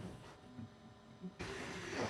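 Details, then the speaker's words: Bambu Lab A1 Mini Combo 3D printer running its first test print: quiet, light stepper whirring and soft head moves shifting in pitch, then busier fast travel; printing normally and faster than expected. "So, that's the first test print going. And I have to say, it's printing a lot faster than I thought it would."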